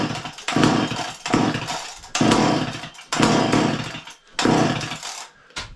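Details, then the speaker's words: Garage-sale two-stroke chainsaw after heavy fueling: rough bursts about once a second catch briefly and die each time. Owner unsure whether it needs more or less fuel; sputters but won't keep running. "it seems like it wants to go I don't know if we need more juice less juice"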